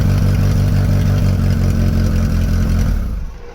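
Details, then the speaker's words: Mk3 Vauxhall Astra 1.6 LS saloon, sat about 12 years unmoved since 2009, now starting on the button: runs with an even, steady beat about three seconds, then switched off and winds down cleanly; healthy. "all right i'm delighted to see that it starts on the button again now very nice"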